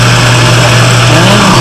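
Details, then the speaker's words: Cottage water pressure pump with foot valve, primed using a submersible pump, filters not yet fitted: steady, even low motor drone, no surging or rattling; normal run before cut-off. "Punk should cut cut off that means that everything is working up to here"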